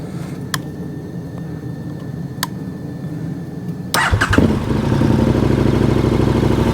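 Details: KTM 1290 Super Adventure twin after its failing old battery was swapped for a new one: brief crank, then it catches at once into an even, steady idle with no stumbling and no warning light. Healthy start.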